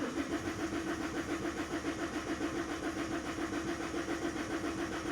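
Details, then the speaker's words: Common-rail engine cranked on a weakening battery and tiring starter: the starter churns steadily at almost two turns a second without catching. The rpm reading stays at zero and fuel pressure builds only slowly; long crank, no start. "the cranking it will not start will crank my battery starting to get low"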